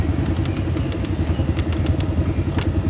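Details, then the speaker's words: Honda Supra motorcycle at idle: uneven tok-tok knocking coming and going at random, disappearing when throttle is applied; diagnosed as hardened clutch hub damper rubbers (karet kampas ganda). "Ini adalah suara karet kampas ganda. Bunyinya nggak peraturan. Kadang bunyi, kadang hilang."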